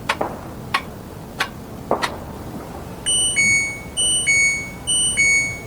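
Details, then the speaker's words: LG washing machine, no water coming in: a few sharp clicks, then a repeating two-tone electronic chirp about once a second as the display shows the IE (water inlet) error. "After a while, I heard this sound, and it started displaying an IE error . If we look at the meaning of IE, it means " G Inlet Error.""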